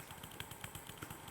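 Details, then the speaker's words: P2 Cock O' North model locomotive motor removed and run held in the hand: rattles and bangs in quick uneven bursts; confirmed faulty motor, not gear meshing. "oh wow I'm now holding the motor and that is banging away between my thumb and finger"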